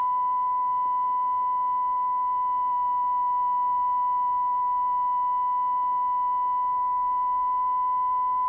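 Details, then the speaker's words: Coomber 393 language-teaching cassette recorder after tape-speed adjustment: clean steady 1 kHz test tone holding pitch without wavering. Tape speed correct. "okay I'm gonna I'm gonna be happy with one kilohertz that's pretty much good enough for me so that's the way I adjust the tape speed on a cassette"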